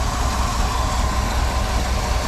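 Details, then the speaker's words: 1956 Dodge C3 HHA-8 farm truck, 259 V8, freshly tuned up and converted to 12 volt: smooth, even idle with a low steady burble and no valvetrain ticking; healthy, well-tuned engine. "but he went through and actually tuned this thing up just like that make sure she fires right up in the morning"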